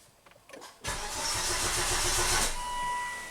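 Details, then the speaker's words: Volvo wagon crank no-start diagnosis, fuel pump relay off, zero PSI on gauge: starter cranks at an even four beats a second for nearly two seconds and never fires; no fuel pressure. "so obviously we did not have fuel pressure"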